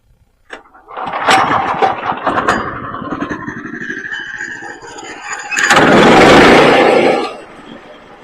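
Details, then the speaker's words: Woodland Mills HM122 sawmill engine that had stumbled when throttle was first applied, carburetor cleaned, improved after more milling: cranks briefly, catches, settles into even idle, then throttles up cleanly without stumbling; healthy start. "And the longer I milled, the better it got. And now this thing, when you start it up, it idles fine, it runs fine."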